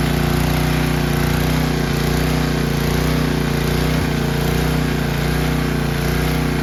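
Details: 10 hp Tecumseh engine on a 5250-watt generator, started on choke after a carburettor replacement following long storage: holds a steady, even drone with no misses or surging. Normal running.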